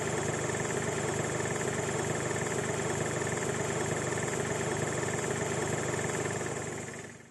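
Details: 2006 VW Golf V GTI petrol engine idling: steady uneven knock about three per second from lower right of engine, later traced to fuel line hitting chassis from engine imbalance; light rattle, which went away after fixing a broken vacuum pipe (possibly VVT actuators).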